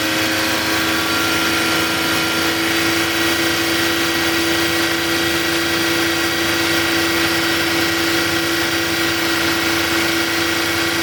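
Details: Toyota Agya engine running smooth and even with a steady whirring hum, no knocks, misses or hunting, while revved to full heat with AC off and waiting for the fan. Car had stalled and overheated, with foamy, crusted coolant in the upper tank; a leak is suspected.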